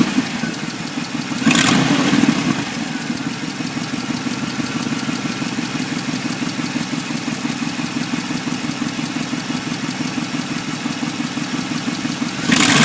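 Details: 1994 Impala SS engine: steady idle with an uneven rattling undertone and two short revs that swell the noise; something audibly off, cause not clear.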